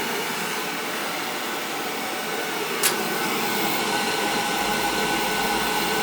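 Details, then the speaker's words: Old boiler after leak repair, thermostat jumped: steady blowing roar, sharp click near 3 s, then low rumble as flame catches; normal ignition, circulator kicking in after. "we have ignition i think i had that control it just replaced one of my daughter's house a couple of weeks ago"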